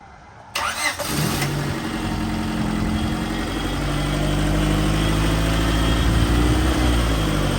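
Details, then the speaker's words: Honda Civic D-series engine just after a Maxpeedingrods turbo kit install, with a generic dump tube; it starts and settles into an uneven, slightly lumpy, funky idle with a wavering note, running pretty rich. "Everything's hooked up, the car runs and everything. Kind of idles a little funky, but it's fine for now."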